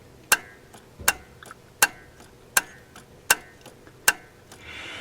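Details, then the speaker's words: AMC CEC-system carburetor Sol-Vac, engine off, wire tapped to battery: sharp even single clicks about every three-quarters of a second; solenoid pulling in cleanly, working normally. "So I'll grab my wire here, and you'll hear it click when I tap the battery."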